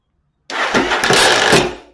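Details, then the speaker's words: Before Bendix clip clamp install, one spark plug fitted, no ignition: harsh whirring crank lasting barely a second, engine turns about once before starter drive kicks out; drive disengaging during cranking. "You get a rotation or so. But all you get is a rotation."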